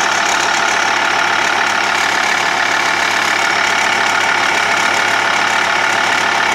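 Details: Idling TDI diesel with a steady sharp tick, about three to four clicks a second, over the clatter; crankshaft pulley and tensioner already changed and timing belt replaced 20,000 km ago, yet the ticking persists.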